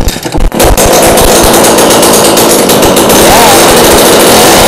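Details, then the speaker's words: Snowplow engine with straight pipes, tuned carb, porting and performance cam, cold start in Wyoming winter: loud raw open-pipe sound with choppy, uneven lumpy lope; lopey idle from the performance cam. "Performance cam. It's loping, boy."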